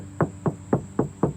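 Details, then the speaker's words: Five sharp knuckle taps on the driver's-side panel of an Acura RSX ring hollow and resonant, bare sheet metal with no bondo underneath. "no bondo here. You hear the back, like the vibration."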